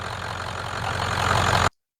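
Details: 1994 Ford 7.3 Powerstroke diesel truck after fixing crank-no-start at the IPR wiring: steady, even diesel clatter at idle with no misses or stumbles, then shuts off cleanly; running normally.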